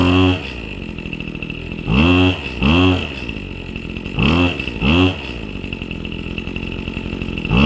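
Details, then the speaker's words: New Husqvarna 525 RX trimmer after a primed cold start on choke, choke pushed down: a steady high two-stroke idle between quick throttle blips that rise and fall cleanly. Normal, healthy warm-up. "And then you just let it warm up, and that's pretty much it. So very simple. I'm very impressed with how fast it started."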